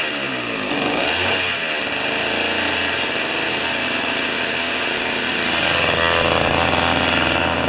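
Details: Old two-stroke snow thrower revived after years of sitting, on about 40:1 premix and old fuel: revs up and settles into a steady buzzing run with no misses or knocks, sounding healthy.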